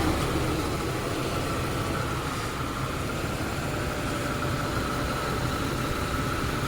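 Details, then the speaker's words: 80s Lincoln Town Car V8 just started after deleting the malfunctioning smog equipment, ports capped and plugged: even steady rumble, no knocks, misses or hunting, smooth clean idle; owner says it runs smooth; normal idle. "So the last thing we got to do is just start it up and see how it runs. See, it runs smooth."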